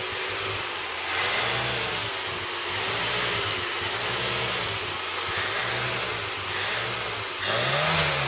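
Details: Ford Cortina Mk3 with newly rebuilt 2.0 Pinto engine on start test, loud raspy exhaust, no load; repeated smooth even throttle blips with no knocks or misfires, normal revving.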